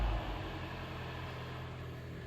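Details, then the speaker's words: Hyundai ix35 G4NA 2.0 automatic, 2014, 102,000 km, first start after rebuild for scored cylinders and piston knock: steady, smooth idle with no knocks, ticks or rattles; oil pressure up, no errors. "давлени Пошло всё автомобиль у нас заработал никаких ошибок никаких посторонних шумов бяков ту ничего нет"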